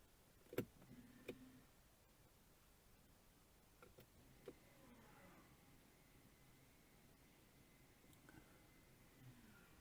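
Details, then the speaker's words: Mercedes ML 250 electronic parking brake applied after fitting a new actuator with new bolts: a couple of sharp clicks, then a faint, even electric whir that stops cleanly. Both actuators working normally. "Well, they both seem to be working okay."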